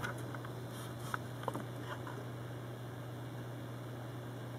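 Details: New Corsair H50 liquid cooler on a Phenom II X4 955: a steady low hum with a faint buzz under quiet room noise, constant after running a while. The mic may be near the cooling block; the pump is suspected defective and an RMA is being considered.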